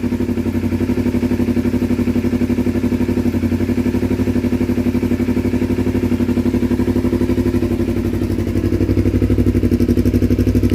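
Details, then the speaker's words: 2012 Kawasaki Ninja 250R, first start after carb installation: steady, even idle around four pulses a second with no misses, knocks or hunting; started without choke, perfect idle. "great success sounds good perfect idle didn't have to use any choke just going to let it run for a minute"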